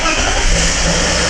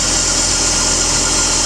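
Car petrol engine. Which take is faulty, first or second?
first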